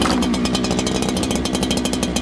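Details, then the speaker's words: Farmertec 288 kit chainsaw (with black dogs), started without choke after running that morning: crisp, steady two-stroke buzz with quick even firing, no surging or bogging, bar getting oil; normal running, unlike the lean-running other saw. "That bar's getting oil now. You hear the difference, friends? The other one's really lean."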